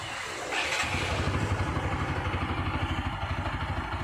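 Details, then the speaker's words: TVS Apache RTR 160 4V after adjusting idle air screw to fix slow-speed problem: starts and settles into steady, even idle around 1500–1700 rpm with regular firing pulses, no hunting or stalling; normal idle. "இப்ப பார்த்தா தெரியும் ஒரு 1500 to 1700 வண்டிய நம்ம race பண்ணி விட்டோம்னா கொஞ்சம் அதிகமா இருக்கும்"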